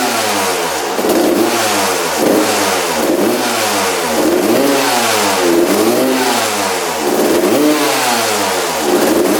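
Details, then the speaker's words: Freshly rebuilt 1993/94 Suzuki RM125 two-stroke with a new plug, fuel tap switched on and off: repeated revs about once a second with soft pickup. Throttle response is crisper with the fuel off, suggesting it runs rich. Poor throttle response. "you can definitely hear the difference between the throttle response when the gas was on and off it was a lot crispier with the gas off"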